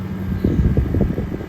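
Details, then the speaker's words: 2023 General Electric 5,000 BTU window air conditioner, nearly new with slightly dusty filter, cooling; soft steady fan hum over low compressor drone, refrigerant noise and felt vibration, no rattles or squeals; normal compressor and fan running. "I mean, yeah, you can hear the refrigerant noise from the refrigerator because the compressor is running. And I do feel the vibration from the compressor."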